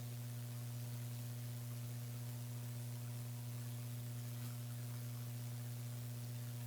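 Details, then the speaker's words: Brickless mini PC build with Gigabyte RTX 2070 Mini, i7-8086K and HDPLEX 400 AC/DC supply, fans unplugged: steady low electrical buzz with mains-like hum and faint hiss; owner suspects the streaming PC on the same wall circuit. "the buzzing is worse now yeah maybe it's the streaming pc this is on the same wall circa as that that's the only thing I could think of"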